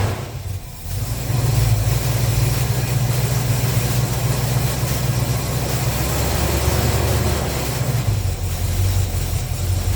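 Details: 350 Chevy small-block V8 pickup after intake manifold gaskets and fan clutch replaced, first start on choke; deep steady rumble holding an even idle with no ticking, puffing or misses.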